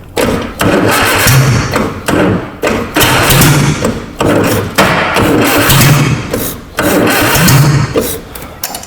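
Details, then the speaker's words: Abandoned 1960 Nash Metropolitan on its first run, ignition timing not yet set, fires in short bursts of loud, raw, blatting exhaust every couple of seconds. The exhaust system was torn off while unloading from the trailer. "little thing like that shouldn't be that loud you know oh yeah well if your old man didn't rip all the exhaust off of it unloading off the trailer probably be nice and quiet right now"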